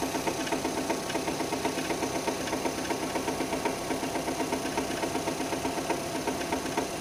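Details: 2006 Renault Scenic 2, K4M 1.6 with automatic, 202,000 km, cold idle: steady light ticking knock about four beats a second, coming from below; expected to fade as it warms with another sound appearing; cause unknown.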